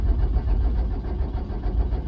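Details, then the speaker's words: Diesel truck that has sat unused for many years, with a completely flat dead battery, cranked with a lithium 2000A jump starter: a heavy, uneven, low cranking rumble that nearly catches but never fires. Glow plugs not working. "The jump starter's doing its job, but the batteries, I got a battery that's just so flat dead."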